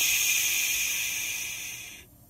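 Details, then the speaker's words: 1984 Chevy K5 Blazer, sitting about ten years with carburetor problems: thin high-pitched hiss fades for about two seconds after shutdown; suspected vacuum leak in an HVAC damper line behind the dash. "it's definitely an HVAC issue from one of those lines on those dampers in the back so when I do the dash pad I'll probably locate that and try to fix that"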